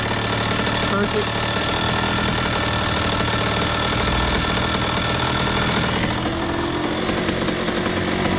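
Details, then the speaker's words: 2001 Honda CR80 two-stroke, previously suspected of knocking, with the idle screw being adjusted by flat-head screwdriver: fast, busy idle with a steady crackle that never drops to a slow idle. The idle is set too high ("definitely too hot"). "that's definitely too hot"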